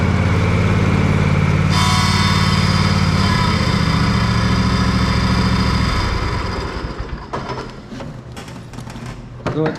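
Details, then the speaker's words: Gravely ZT60 HD zero turn mower with Kawasaki 26 hp engine, in reverse: steady engine drone with strained high whine, then loose clatter; transmission shaft broken or missing a bearing sits wrong, straining the hydrostatic pump so it bypasses under load. "then you go back and it sucks the shaft down and then it puts a lot of strain on the pump you can hear the pump bypassing in there cuz it's got so much strain on it"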